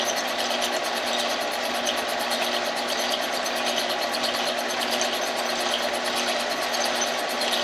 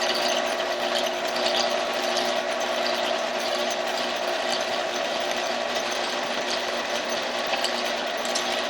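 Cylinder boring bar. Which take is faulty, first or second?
first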